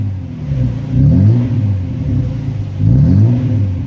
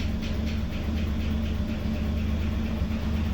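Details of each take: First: VL Commodore first start after sitting a while; low rumble surging unevenly instead of holding steady at first, then sorting itself out; owner suspects dirty fuel, not sure. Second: VL Commodore, sat for a while, fresh 98 premium fuel added; after a rough start, even low engine rumble holding steady with no misses or surging, running smoothly; owner thinks it cleared dirty fuel.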